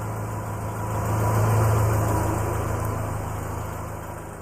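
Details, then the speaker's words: 2009 Subaru Forester idling after the straight-piped exhaust was repaired: steady, low, even idle, swelling then easing slightly, sealed and quiet with no blowing or rattle; far quieter than before, normal idle. "as you can tell it is much more quiet than it was before you can actually you know drive it around without wearing earplugs"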